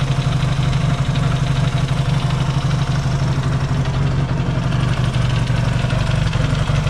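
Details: Yamaha XS650 twin, engine reinstalled after work on its oil-burning problem, now pretty warm, points still to be properly adjusted: even low thump about four beats a second, steady, no stumbles; no smoke, clean normal idle.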